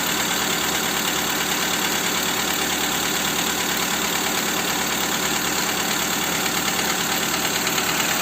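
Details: Skoda Fabia 2 with 1.4 engine after replacing the camshaft cover with camshafts; steady idle with a faint regular ticking knock about three per second; engine knock at idle, source undetermined.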